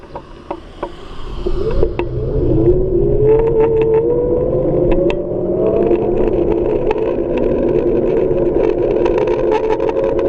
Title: RUIDO RARO en el MOTOR de MI XIAOMI M365